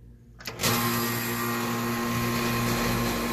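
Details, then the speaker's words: AC not working with a thermostat low-voltage issue; condensing unit contactor pushed in manually: click, then compressor and fan start into a steady even hum, so the outdoor unit runs normally. "I did hear the compressor turn on by a motor turned on"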